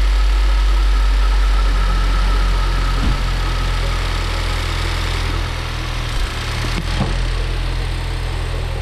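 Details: Ford Focus III ST 2.0 EcoBoost 250 hp after repair of low compression from a damaged piston: engine settles into a steady, even idle with a smooth low hum and no knocks or misses; sounds healthy.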